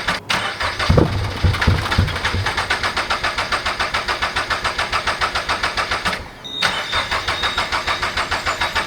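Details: Turbo Toyota GR86 after fitting 1050cc injectors and a DeatschWerks 300c pump, first start attempt: steady cranking about three and a half beats a second, briefly stopped then resumed, never catching.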